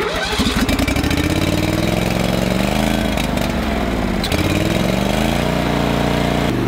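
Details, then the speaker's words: Old Toro greens aerator, believed 2002: engine runs but speed hunts and surges unevenly, rough running when cold, needs half choke until warmed up; owner suspects carburetor needs cleaning. "it does run but it needs uh needs love and it kind of has to run half choke until the run warms up"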